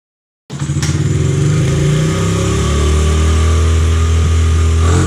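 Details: 2003 Honda XR50 (CRF50F) automatic-clutch single running after clutch adjustment (it almost wheelied in first gear on brake release); crisp start, smooth even pulses, no slipping or surging: normal running.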